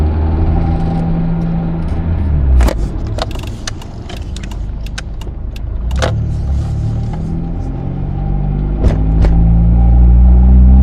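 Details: 2000 Mitsubishi Eclipse: low engine rumble with an uneven pulse near 200 a minute and scattered sharp clicks on top; strange engine noise, cause unclear.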